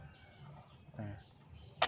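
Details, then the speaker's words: Toyota Yaris fuel tank cap turned clockwise after refuelling until one crisp ratcheting click sounds, showing the cap is seated tight; fuel cap click when tightened. "Nah suaranya bunyi kreket kita kalau sudah baru kita proses menutup dari tangkinya"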